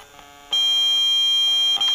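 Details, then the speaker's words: Polytron compo stereo with added Bluetooth module, powered without stabiliser; noise already loud at low volume, then steady high buzz with a fixed whistle grows louder on switching to Bluetooth mode; hard to remove even with 7805/7808/7812 regulators. "suaranya untuk noise tambah kenceng Jadi kalau model bluetooth seperti ini ini sangat susah untuk menghilangkan noise nya"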